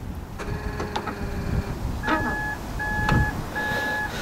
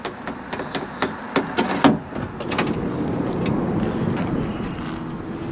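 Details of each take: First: 2005–2010 third-generation Honda Odyssey power sliding door: short electric buzzing bursts with clunks after each unlock attempt, door jams and won't open; worn, weak release actuator motor can't push the latch release arm. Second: Third-generation (2005–2010) Honda Odyssey power sliding door after actuator replacement, opened by a gentle tug on the outside handle: handle click, then even motor hum as the door glides open without straining; normal operation.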